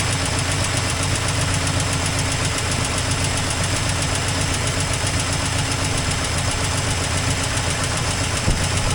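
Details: 1984 Toyota Land Cruiser FJ60 first run in many years: uneven, lumpy idle with loose irregular pulsing and a chuffing edge over a low drone, with an exhaust leak noted. Rough after long storage, cause unconfirmed.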